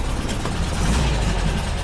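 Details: 1979 VW bus air-cooled flat-four rebuilt with twin Solex 44 carbs jetted by Kaddie Shack, big heads, Scat 35 cam, 2100 kit, J pipes, secondary fan oil cooler, about two years after conversion: steady even low thrum, no misses or knocks; normal idle.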